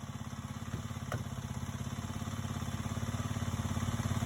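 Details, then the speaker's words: 2009 Kawasaki KLX250S: even, steady single-cylinder idle about three and a half beats a second, no misses or clatter; healthy idle. "And this one will be up for sale soon. Yeah, she is idling just fine."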